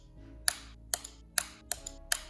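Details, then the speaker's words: Wrecked 2021 Aprilia RSV4 with a replacement 2021 harness and a 30 A relay fuse, dash on: sharp single clicks about every half second and no cranking; suspected blown fuse, clicking from low down on the bike. "nothing it's just clicking it sounds like a blown fuse just clicking somewhere down there"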